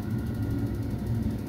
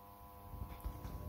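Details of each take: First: Ideal Mini HE24 boiler with pump push rod held in by screwdriver to simulate pump running: fan spins up to a steady low hum and even whir, no knocks or scraping — normal fan run. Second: Ideal Mini HE24 boiler powered on, diverter valve actuator moving: faint steady electrical buzz from a seized circulating pump that is powered but not turning.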